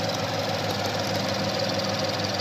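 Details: 2013 Mustang 5.0 V8 idling with dense, fast, irregular ticking like popping popcorn over a steady idle; the source is not identified.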